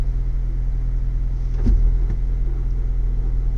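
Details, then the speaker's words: 2023 Ford Bronco with 7-speed manual, cold start at 20 degrees, about 1200 rpm warm-up idle in neutral with clutch released: low rough scraping drone like tumbling rocks that stops when the clutch is pressed, blamed on faulty synchronizers. "now I'm going to release the clutch in neutral and listen to how it sounds hear that sound it's like a scraping noise I'm grinding like tumbling rocks"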